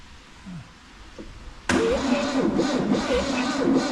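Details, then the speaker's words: 1971 VW Beetle off the road over 20 years, battery connected, first start attempt before adding petrol to carb: starter engages, engine turns over slowly, about three beats a second, has compression but never fires; cranking too slow. "It's definitely got compression. Turning over, does it seem fast enough? No."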